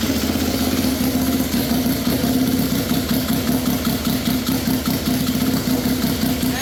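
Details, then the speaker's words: Polaris RZR XP fitted with a Yamaha triple snowmobile engine, first start after the swap, straight-piped, front of engine not yet mounted, fuel pressure possibly a little low: loud, even, rapid exhaust pulses with steady rasp, no misses or knocks; normal idle. "I kind of like the sound of it you know it's not super loud being straight piped it sounds awesome yes it does"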